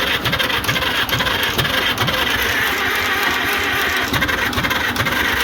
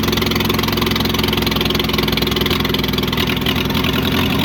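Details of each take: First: International Harvester McCormick 64 pull-type antique combine engine, starter just refurbished (brushes polished, greased, oiled): steady slow starter churn, about two strokes a second, going on without a catch; turns over but won't fire. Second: Long-forgotten International Harvester McCormick 64 pull-type combine engine, revived after a clean carburettor check, idles with steady even chuffing, about three and a half beats a second, no misses or knocks, and shows oil pressure; runs healthy.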